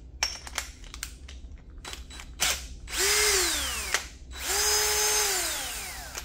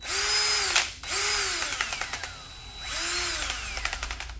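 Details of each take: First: Older drill running free: two clean trigger pulls, the whine climbs smoothly to speed and winds down with no knock or rattle. The owner says a knock appears only with the wire brush or three-quarter bit. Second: Old drill running a big wire brush: the motor whines up and sags repeatedly, with rapid irregular taps and knocks as the brush loads it; the owner says it only knocks with this brush, cause unclear.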